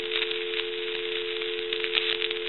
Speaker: we want to take dial tone away and I want you to hear that there's all kinds of cracking and popping and sizzling coming from this handset and that's basically from the T1